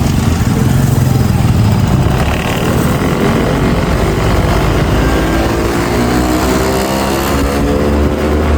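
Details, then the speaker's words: OLA S1 Pro Gen 1 electric scooter under throttle: loud rough rumble with wavering whine and jerking, strong vibration, not gaining speed; owner suspects MCU failure again, unconfirmed. "कितनी vibrate कर रही है। Vibration सुनो। बहुत vibration आ रही है इसमें बहुत ज्यादा और मुझे इसे दिखाना पड़ेगा।"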